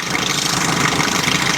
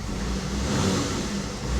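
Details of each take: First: 1984 Chevy Citation salvage-auction car, after adding about 1.5-2 gallons of fuel and pouring some down the engine: loud steady idle, even rumble, no misses or knocks; engine running cleanly. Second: 1984 Chevy Citation salvage car, first start and throttle blips with check engine light on: engine rises and settles with a rough whirring on the revs, suspected to be the smog pump.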